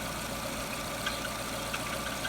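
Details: Jeep Renegade idling with the new lambda (O2) sensor fitted: steady, even hum with a light hiss, no stumbles or dips. The new sensor reads normally and isn't stuck; the car had been stalling at stops.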